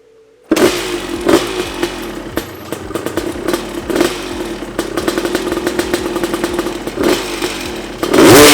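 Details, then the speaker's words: Honda CR250 two-stroke dirt bike on its first start after rebuild idles and blips with metallic clatter and buzzing rattles from loose bolts, engine mounts, seat, silencer area and radiator mounts. "cette chose est un rattletrap frickin obtenu des boulons lâche partout les sièges le bruit autour du silencieux n'a pas toute monture en caoutchouc sur ce support de radiateur ne sont pas très serrés ouais"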